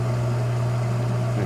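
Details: Single hot tub pump on a newly installed Balboa BP7 spa pack, replacing one that burned out, run on high speed to purge air: steady, deep motor hum at one even pitch, no rattle, grinding or surging; normal running.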